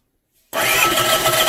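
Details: Land Rover 300Tdi diesel fitted to a Ferguson TE20 tractor, started with a 24 V starter and 12 V fuel solenoid supply; silence, then it catches at once and settles into a steady, even run with a clean rumble; normal start and run.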